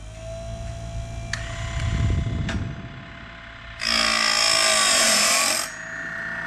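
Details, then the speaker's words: Woodland Mills Grindlux 4000 sawmill blade sharpener resharpening an old Lenox sawmill blade, wheel lowered a quarter turn: quiet hum, then a loud, even two-second hissing grind as the wheel sweeps the whole gullet cleanly without touching the tooth's backside; correct full-gullet grind. "It's ground pretty much all the gullet. Now keep in mind, we don't want to grind up the backside of the tooth."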